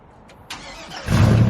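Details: Cammed LS-swapped 1968 GMC truck in for wiring and tuning, at startup: brief crank, then the V8 catches promptly and settles into a deep, strong rumble with no misses or clatter.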